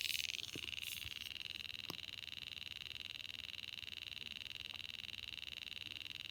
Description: Happened while charging. Only stopped when I removed the battery.